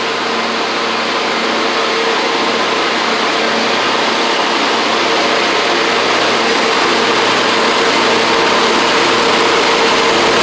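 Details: Gravely 260Z Kohler V-twin, well-used and slightly smoking, after DSAI module removal and ignition coil swap: steady, even engine note with no misses, knocks or surging while running and driving; not perfect but runs.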